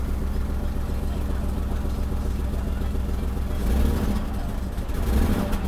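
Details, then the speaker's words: Mercedes-Benz W126 300SEL, starts only in N, before repair: uneven lumpy idle lurching on throttle blips, shaking heavily, weak acceleration, strong gasoline smell; suspected fuel distributor or high-pressure line, later fuel distributor and injectors replaced. "It's shaking a lot. Of course, and I can smell gasoline now. I smell a strong gasoline odor."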